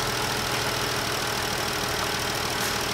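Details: 2014 Jeep idling after replacing #5 fuel injector, spark plugs and plenum gaskets, being checked on oscilloscope: even idle hum, smooth steady firing, no misfire, stumble or ticking; injector patterns look close, healthy.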